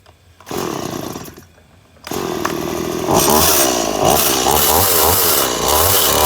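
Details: Stihl MS180C chainsaw on 50:1 mix with replacement carburetor, after idle screw adjustment: fires up and revs cleanly to a steady, even high-pitched scream with no stumbling or surging; normal running.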